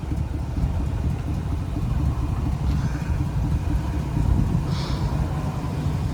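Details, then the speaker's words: Box Chevy Caprice V8 at the muffler shop to retighten loose exhaust bolts: loud, rough idle with deep pulsing exhaust puffs from a leaking gap at the exhaust manifold joint. "all right y'all we back at the muffler shop he how loud it is trying to get that thing back quiet so I bring it for him to to tighten the boat back"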